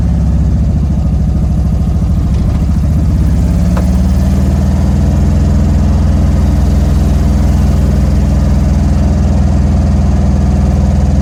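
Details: 1971 Volkswagen Karmann Ghia, sat for 20+ years, after fuel line work, starting for its first drive: uneven, labouring chugs for a few seconds before it catches into a lumpy, unsteady idle; hard starting and rough running.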